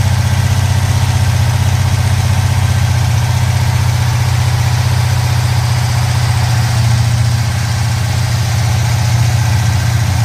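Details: 1970 Pontiac Trans Am Ram Air III 469ci pump-gas stroker (10.5:1, ported Edelbrock aluminum heads, Lunati hydraulic roller cam 231/239 at .050 on 110 LSA, Johnson lifters): deep, steady lumpy idle, cam slightly small for the cubic inches, crisp throttle response; healthy.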